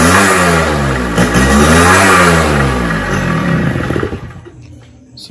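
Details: Suzuki Shaolin two-stroke survivor bike before restoration, on choke and reserve fuel: revs rise and sag unevenly then fade and stall, won't idle; suspected blocked carburettor pilot circuit.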